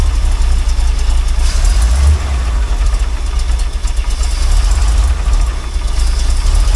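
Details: Truck that had its old Dodge engine swapped for a Chevy 350 V8 about 7 years ago but never finished, on old gas: low, uneven idle that stumbles and wavers in level; rough running, which the owner says is expected from the old gas.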